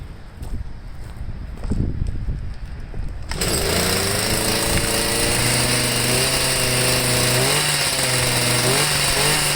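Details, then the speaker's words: Stihl MM55 sweeper two-stroke fitted with a Hipa C1Q-S97 carburetor: fires and sits at a fast, high-pitched idle that never settles; throttle cable holding it open; idle too high. "all right i'm gonna see if i can lower the idle on it maybe or that piece isn't on right again i'm not sure i don't know"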